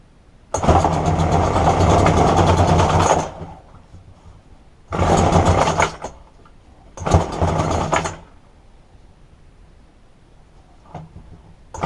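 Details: Roadside-found McCulloch two-stroke strimmer after replacing fuel lines: buzzes up sharply in three short bursts with quiet gaps, picks up and revs cleanly; normal running.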